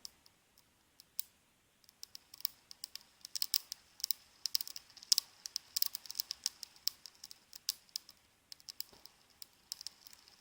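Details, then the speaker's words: 450DFC small drivetrain turned slowly by hand in reverse direction: faint, irregular dry clicks and crackles; worn ball bearings either side of the crown gear and the drive pinion bearings, to be replaced. "on entend un petit craquement donc je vais changer en fait les roulements de part et d'autre de la couronne"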